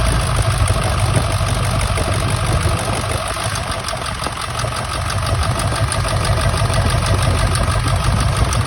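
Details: 1999 Ford F-350 7.3 Powerstroke diesel at idle, still running rough: uneven lumpy beat about three per second, one cylinder dropping out; injector misfire being troubleshot by unplugging injectors and checking oil flow, cause not confirmed.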